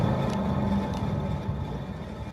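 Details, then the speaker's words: VW Passat B4 jacked up, wheel spinning: steady low hum like a small motor running, fading as it slows; worn wheel hub bearing found by spinning each wheel. "В данном случае я с первого раза нашел, где этот плохой подшипник. Слушаем внимательно."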